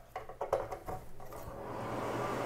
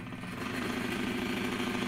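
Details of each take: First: Broan-Nutone 684-D/2684F-A bathroom exhaust fan after motor replacement, reinstalled: after handling clatter it settles into a soft, steady, even whoosh with no rattle or hum; quiet, normal running. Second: Broan-Nutone 684-D/2684F-A bathroom exhaust fan motor with a lot of up-and-down shaft play, no side play: harsh steady buzzing rattle over the fan hum; worn motor bearing.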